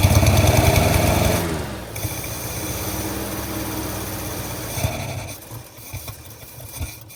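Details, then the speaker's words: 1948 Studebaker Champion flathead six, long abandoned, fed mixed gas into carburetor: catches and runs roughly about a second, sags and stops, then faint coughs; won't run on old fuel, doubtful it reaches carburetor. "Okay, well, it's definitely not running on whatever fuel is in it, if it's reaching the carburetor at all, which I do kind of doubt."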